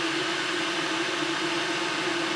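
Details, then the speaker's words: Electric kettle after DIY repair (contact pad and back cover refitted), test with a little water: steady rushing rumble with faint hum and hiss building as it comes to the boil, steam from the spout; normal boiling. "Ну вот, пошел процесс закипания. Зашумел. Из носика показался пар."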